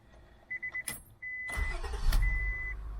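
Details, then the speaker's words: 2000 Acura 3.2 TL, high mileage, first start after replacing the failed original starter with a new one: a short starter whir, then the engine catches quickly and settles into a steady idle; a normal start. "Here's our new starter motor. Let's do a startup now and see if the starter works."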